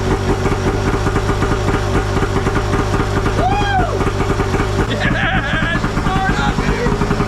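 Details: Arctic Cat F1000cc two-stroke EFI twin swapped into a Yamaha YFZ450, first start after fuel pressure cut from ~55 to ~45 psi, coils swapped back, new plugs, flooded cylinders cleared; fired on one pull, steady fast even popping. Normal idle.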